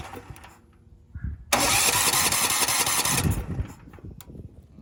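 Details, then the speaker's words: Cheap Valsi generator engine, previously locked up, cranks with choke on carb spray, runs rough about two seconds then dies; fuel suspected not getting through, carb cleaning and line and tank flushing planned. "Well, we did hear it run. Unfortunately, I didn't get it to make it run long enough to verify power output."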